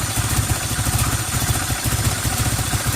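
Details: 1990 Toyota Celica Alltrac ST185 with new plugs, wires, cap, rotor, fuel filter and oil: idle lopes unevenly with stumbling pulses and light clatter, dies when given gas; vacuum gauge low, vacuum leak suspected but not found.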